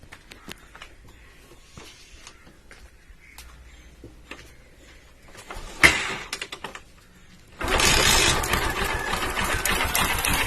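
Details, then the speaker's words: Bajaj Pulsar 135 LS 4-valve single, started on carburettor fuel without revving, timing chain slack with play: fires and settles into a busy, tinny clatter over the idle; loud timing chain rattle, tensioner leaf damage can cause looseness. "சவுண்டை பார்த்தீங்கன்னாலே தெரியும், timing chain sound ரொம்ப தான் இருக்குது."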